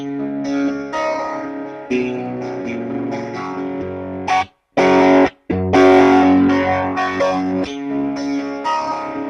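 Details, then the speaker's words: Valve guitar amp on the distortion channel, recorded on camera mics that struggle with volume: guitar riffs whose low notes come out loose, woolly and flubby instead of tight. Flubby distorted bass, cause not yet known. "okay we'll stop that yeah because on that Distortion channel that bottom end is ugly yeah flub is the perfect way to describe that"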